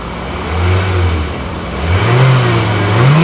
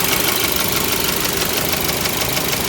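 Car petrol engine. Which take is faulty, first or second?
second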